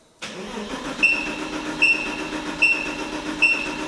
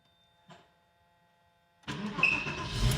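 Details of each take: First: Porsche 986 Boxster S, about 48,000 miles, barn-stored 3.5 years, gauge on the fuel rail: steady starter cranking with a sharp chirp about every 0.8 seconds, never catches; zero fuel pressure, unclear whether the chirp and the dead pump are related. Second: Porsche 986 Boxster S, 48,000 miles, off road for 3.5 years in a barn, fuel pump replaced, first start after priming: fires at once and catches cleanly into a strong, even run with slight rev; normal start.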